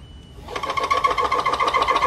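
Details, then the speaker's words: Compact DIY combination lathe/mill in an aluminium case turning a 1.5 mm groove on a 5 mm steel shaft: rough pulsing high-pitched ring and fast uneven chatter, because the machine is far too flexible. "La rainure de 1,5 mm ne peut pas être tournée correctement en raison d'une résistance totalement insuffisante de la machine."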